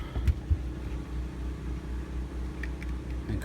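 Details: 3700 W RV generator, restarted, running a Coleman Mach 15 15,000 BTU air conditioner with a Supco SPP6 hard start capacitor, fan switched on first: steady low drone holding even pitch, no surging or hunting; carrying the AC normally, air nice and cold.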